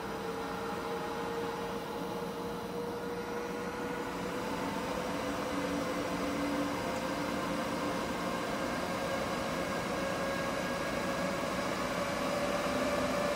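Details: EG4 6000EX solar inverters in a barn, charging at about 50 amps each (100 amps total): steady electrical hum with a faint tone creeping slightly higher over an even cooling-fan rush; normal charging under load.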